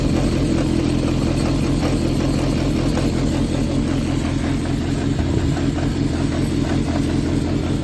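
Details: Yamaha XJR400 (4HM, early type) running engine assembly, said to have high compression, no abnormal noise and no white smoke. Smooth, even four-cylinder idle with a steady low hum and no knocks, ticks or rattles; healthy.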